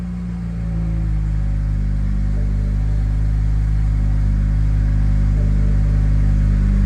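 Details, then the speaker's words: BMW 335i N54 single turbo after flashing the E85 tune, started on E85 with coolant about 79 or colder: it catches and settles quickly into a smooth, even low idle without misses or hunting. "we'll start it up on E85 let's see how smooth the idle is let's hope everything's good so we can get this thing tuned that's how she's supposed to start up guys"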